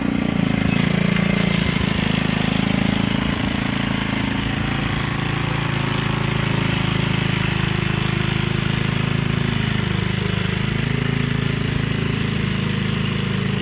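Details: Gilson rear-tine tiller, a junkyard find from 4–5 years back, test run after cleaning dirt out of the sticky recoil. A deep, steady single-cylinder thump under digging load holds speed without stumbling or misfire. Runs fine. A fuel leak was noted at the tank/carburetor seam.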